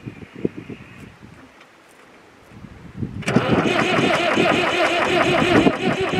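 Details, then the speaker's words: David Brown 996 diesel tractor, sitting about 10 years (2012 insurance disc), started with leads run straight to the battery: slow uneven cranking, then it catches into a steady chug of about four beats a second and runs clean; normal start after storage. "ah yes it lives oh man that was superb"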